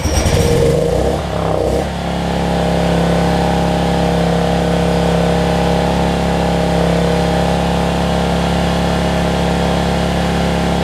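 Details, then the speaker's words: Generac 7500EXL generator with the low oil switch unplugged, first run in a while: brief rough start, then a constant, slightly high-pitched hum reading about 130 instead of 120; governed speed set too high, throttle later backed off with an 8 mm deep socket. "oh so yeah 1 30 she's running a little fast 120."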